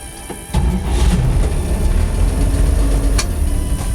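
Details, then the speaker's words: 1949 Chevrolet truck with a 216 cubic inch Stovebolt inline-six, started via the floor starter. It catches almost instantly and settles into a deep, steady, even run with no knocks or misses; it runs great. "Runs great."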